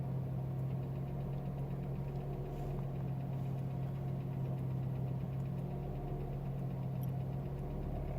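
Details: Warm Renault Mégane I ph2 1.6 16v K4M, heard in the cabin on the passenger side, 2000 km after an oil change (10W40) and a timing belt and water pump job. Deep drone with faint tapping about once a second, only while holding throttle, silent on engine braking. Persists without the alternator belt. Cause: loose oil pump chain; chain and slightly binding pump replaced.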